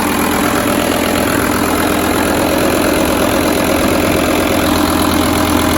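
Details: 2006 VW Touareg V10 TDI after new batteries and tune removed: starts badly, uneven labouring idle with RPM all over, like running on half the cylinders; owner suspects ECM communication/electrical problem, low voltage, not confirmed.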